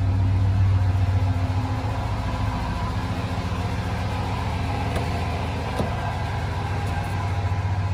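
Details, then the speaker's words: 2003 Ford F-150 Harley-Davidson edition V8 idling after SCT BA2600 MAF install and new ECM tune: even puffing tick about three or four a second over the rumble, exhaust leak audible, no check engine light. "and I do hear the exhaust leak no time no check engine light everything is good everything is copasetic across the board"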